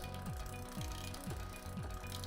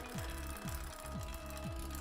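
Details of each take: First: Bicycle rear derailleur after re-centring with the barrel adjuster, chain on the 5th sprocket, cranks turned by hand. A soft, steady chain run with light regular ticking about twice a second, no skipping: indexed and running quietly. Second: Bicycle rear derailleur being indexed, chain on the 5th sprocket, cranks turned by hand. Turning the barrel adjuster takes it out of gear, giving steady clicking about twice a second as the chain rubs the next sprocket: derailleur out of index.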